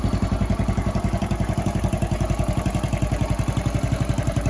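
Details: Honda Chaly CF50 single-cylinder, revived after long storage with oil changed and carb cleaned, chuffs at a steady even beat of about four pulses a second with no misses or knocks; clean healthy idle.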